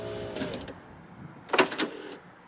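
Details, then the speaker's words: 1994 Ford Explorer Limited power window: motor whirs, then glass gives short squeaky dragging chirps rising, dry unlubricated channel felts making it bind. "okay so the felts need to be lubricated they're just dry so this is going up by now"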